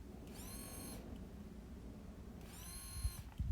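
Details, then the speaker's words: Replacement in-tank fuel pump for a first-to-third generation Ford Ranger, out of the truck and bench-tested on a 9V battery: two short bursts of clean high-pitched whine, spinning up smoothly; healthy new pump, unlike the old one that failed after 4 months. "That's the new one. That's how it's supposed to sound."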